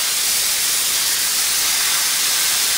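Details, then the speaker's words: New Campbell Hausfeld 20-gallon twin-cylinder compressor, pressurised tank: loud, steady high-pitched hiss at a fitting where soap-and-water bubbles show air escaping. Air leak at poorly sealed fitting. "that's because that soap and water are still there and it's leaking right there"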